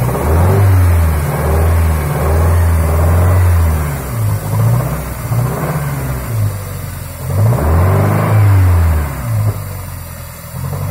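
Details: Toyota Sera with 5E-FHE engine: deep engine note rising and falling with revs, with an uneven knock under it that speeds up with revs; engine knock, cause unknown.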